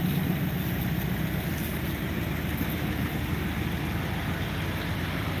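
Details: Stock 5.9 L 360 V8 in a Dodge Dakota R/T with a bad transmission (runs but won't drive) idles with a steady, even low rumble, no ticking, knocking or misses; the engine runs great, normal idle.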